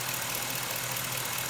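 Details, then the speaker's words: 2006 Chevrolet Silverado, Gen 4 5.3 V8, cold garage, after dead misfire on cylinders 1 and 3 fixed by removing spark plug foulers and fitting used plugs: smooth, even idle, no stumble or missing beat; normal idle. "threw a couple uh couple used spark plugs in there check this out unreal runs great"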